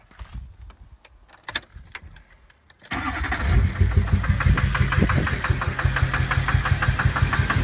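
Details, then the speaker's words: 2006 GMC Duramax diesel V8 (LBZ/LLY), after bad fuel, heard at idle: heavy rhythmic knock about three per second, helicopter-like, blowing black smoke, from a failed injector; disconnecting that injector stopped the knock and smoke. "Yeah, you can hear that sound. It's knocking pretty good. It's just sitting at idle and blowing smoke. It sounds like a helicopter."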